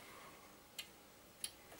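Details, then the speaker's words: Oven after a power cut, switched off and on: two sharp relay clicks but no red light, because the timer defaulted to time mode; oven will not heat until the timer is reset to manual. "you can hear the relay clicking to come on but there is no red light this is because the timer is in time mode"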